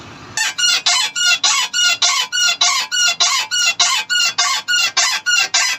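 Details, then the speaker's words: Car steering/suspension worked by hand, also chirps over bumps: sharp squeaky chirps about twice a second from dry ball joint boots and bushes; fix is oiling inside the boots with a syringe. "तो इसकी वजह से जब ये खुशक हो जाते हैं तो इसकी वजह से ये आवाज़ देना शुरू कर देते हैं इस तर"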